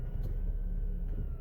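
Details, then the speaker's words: 1999-2007 Ford Focus after replacing the engine support mounts for excessive vibration and cabin noise: short, quiet, smooth idle with a steady low hum, no clunks or rattles; normal idle. "as you can hear there is no more no more noise"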